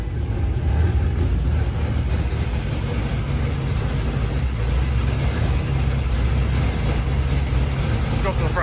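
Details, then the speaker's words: LS V8-swapped Miata, first start in 7 months after Mishimoto radiator install, cold; choppy loping big-cam idle around 1000 rpm (set 850), good oil pressure, steady and healthy. "the idle for this car set at 850 and that was with the previous cam for that choppy idol um so a thousand is actually pretty good for a cold start they have great oil pressure"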